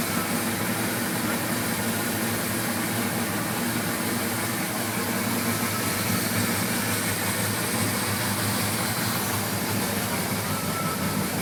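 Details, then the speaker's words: 1981 Suzuki GS850G four-cylinder after replacing cam buckets and reshimming valves to 0.06 mm intake and exhaust: steady, even idle with mechanical hiss, top-end clack gone. "it sounds way better though so happy the dick is gone"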